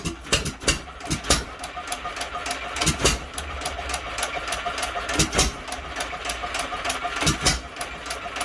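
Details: Hit-and-miss engine, believed a 1 1/2 hp Hercules with ball governor, first start in many years with fuel issues still; sharp pops two or three a second with hardly any coasting gaps, running fast before governor/latch-out cleaning.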